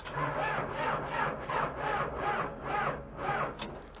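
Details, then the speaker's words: Sky Trak telehandler listed inoperable at equipment auction, weak battery: slow labored cranking, about two strokes a second fading; engine turns freely, not seized; transmission issue suspected. Slow cranking from weak battery. "well the battery is pretty weak but it spins over and sounds like the engine is not grenaded"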